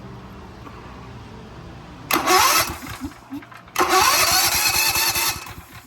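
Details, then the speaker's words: Generac GP 7000 generator, cold and not started in a while, newly fitted electric starter: two bursts of steady cranking with chuffing compression pulses but no firing, because the engine switch was not on run. "It's cold. I ain't started it in a while. Oh, it's off. Damn switch wasn't on run."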